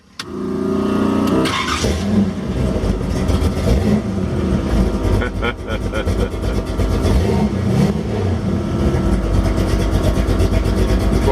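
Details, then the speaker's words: 1932 Ford Roadster street rod with a ZZ502 big-block V8, 7,219 miles since built, hot morning, engine at 140 degrees, oil pressure 50 psi at idle. A brief crank, a quick fire, then a deep, steady, slightly lumpy idle with no knocks; normal start and idle. "Anyway, we're going to get out and let you hear it run for a minute."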